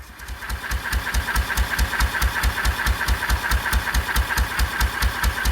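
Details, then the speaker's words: 1926/7 National 5V petrol-paraffin single-cylinder engine after new rings fixed its smoking, running on kerosene under load with a silencer under the engine plus a Lister silencer: a slow, regular thump at about two beats per second with a crisp bark. It runs clean, even and quiet. "This is running on kerosene, and it was lovely and clean. Ran very well indeed. It's got a lovely sound to it."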